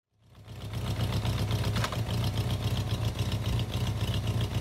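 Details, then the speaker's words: Honda Shadow bobber V-twin with new exhausts and a modified air intake, restarted: loud deep idle with a slightly lumpy, uneven firing beat; owner suspects the carburettors need balancing, with settings still to be checked with the air filter. "vous avez entendu ça va ronfler un petit peu j'ai visiblement réglage de balance sur les carburateurs affaire"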